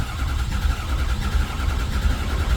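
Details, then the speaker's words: 2006 Ford F350 6.0 Powerstroke diesel that will not start, suspected high-pressure oil pump, injectors or oil pump problem: starter churns it over with a low, lumpy, uneven beat and it never catches; uneven cranking, no start, cause unconfirmed. "It'll probably wanting to pop off. kind of is turning over a little funky, but Yeah."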